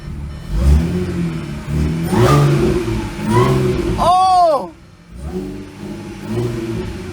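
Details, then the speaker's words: Modified 2014 Audi S4 B8.5 supercharged V6 with aftermarket intake, pulley and exhaust, fire-damaged salvage car first start after repair, low on coolant; quick throttle blip with rising-and-falling supercharger whine; normal supercharger whine on rev. "I can hear a supercharger here."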